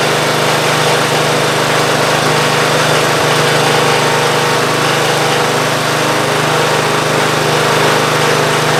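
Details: Ariens GT14 garden tractor running with belts on, a new hydraulic hose and topped-off fluid: steady, even small-engine drone with no knocks or surging, normal running.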